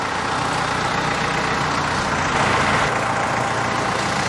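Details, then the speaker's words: Jeep with its original Carter WO carburetor freshly rebuilt and installed, engine running after first start: even, steady low rumble with no stumbles or hunting, a settled healthy idle again. "Well, at least it idles good again."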